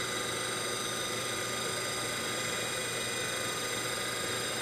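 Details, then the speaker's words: DC motor from a 1974 Karmann Ghia EV conversion, spun on the workbench from an old weak 12 V battery sagging to about 9 V, contactor clicking: steady even whir with light hiss, no knocking, rubbing or rattling; sounds smooth and healthy. "I heard the contactor click there so everything sounds real good nice and"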